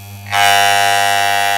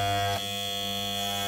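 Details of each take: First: Wahl electric clipper during tune-up: buzzing with two louder rattly stretches and a lower steady hum between them; blades set to strongest normal running. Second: Wahl clippers after blade alignment give a steady high-pitched buzz with a slight dip. The power screw is set too low, so the blades stall when pinched. Fix: turn clockwise until loud, then back a quarter turn until quiet.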